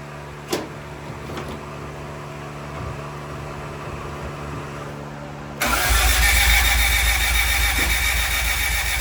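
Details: Honda Civic EG hatch after an engine swap: starter cranks steadily at about three and a half turns a second with no firing or catch. Crank no start, because one distributor plug was still unplugged.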